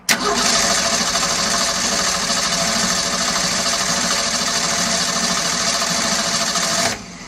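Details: 1965 Ford Econoline pickup, restored, on choke after exhaust-leak work and a puff of smoke: about seven seconds of steady cranking whir with no firing. It turns over but won't start; a knocked-off coil wire is suspected, not confirmed.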